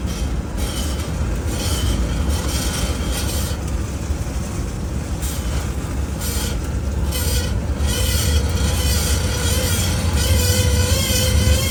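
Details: 2022 Ford F150 PowerBoost, about 48,000 miles, driving with a camera in the right rear wheel well: steady rough metallic grinding over road rumble from a failed rear axle bolt. The front brakes were checked fine.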